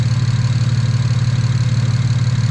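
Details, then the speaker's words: Single-turbo BMW 335is six after overboost fix and bank 1 O2 sensor swap, warming up at idle with oil temp 93: smooth even low purr, no misses, ticks or knocks; sounds strong, normal idle. "Yeah, it's only at 93, so just let it idle, let it get the temp before I get the beating on it. It sounds strong. This motor sounds healthy. Purring, it's purring, it's purring."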